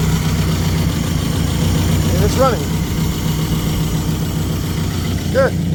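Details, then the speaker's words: Plymouth Neon sat at least 8 years, running after missing fuses installed and makeshift fuel pump primed: even, steady idle rumble, no misses or knocking; normal idle. "good so there it is that was the problem the whole stinking time something stupid but it runs now"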